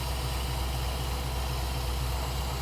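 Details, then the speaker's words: Ford Bronco V8 warming up at idle, IAC steps 225 against a 3–10 target: steady low idle with a constant airy sucking hiss as the idle air control draws too much air; fix is idle setup and adjusting the set screw. "You hear the idle air control motor slowing down? That sucking sound"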